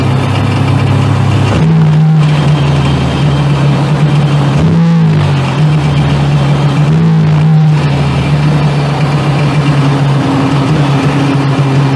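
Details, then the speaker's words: 1998 Sea-Doo GTS after carb work fixed the no-start: low steady drone jumping in pitch with short throttle blips; it runs and takes throttle but something sounds wrong, cause not found. "it didn't cranks and it's running and it's taking throttle but it's there's something about it that does doesn't sound right"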